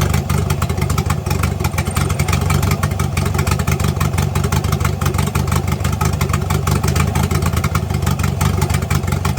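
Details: Engine after exhaust leak repair: deep, smooth, even note with no ticking or puffing at the manifold; running healthy with a tight exhaust.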